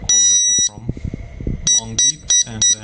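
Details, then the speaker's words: Arduino RFID lock for an AC EV charging station, after grounding the reset pin: one long high beep then four short sharp beeps, meaning master card and all user cards are erased; beep pattern: reset, cards erased. "receives that means MasterCard is the waited and there is no user cards programmed anymore"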